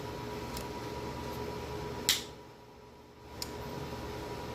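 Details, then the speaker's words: Fieldpiece VP85 vacuum pump with a disconnected harness reconnected to the board, power applied and fill-zone LEDs lit: a couple of sharp clicks over a quiet hum, but the motor never starts after 5 minutes; cause unconfirmed. "You can hear it click, you can hear it trying to do something, but we've waited over 5 minutes, nothing happens."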